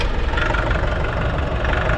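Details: Nissan NV350 diesel with low power, foul smoke and no check-engine light: heavy clatter at idle with air conditioning on, RPM rising and falling in a breathing rhythm; hunting idle.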